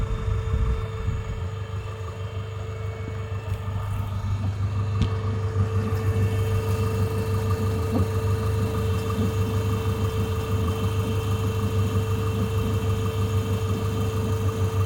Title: Strange noise F4RT 776 2.0T Megane 2